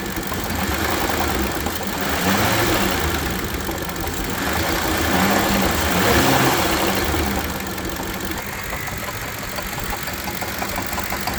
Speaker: Currently this one sounds horrible and it is basically seizing and will not spin freely anymore.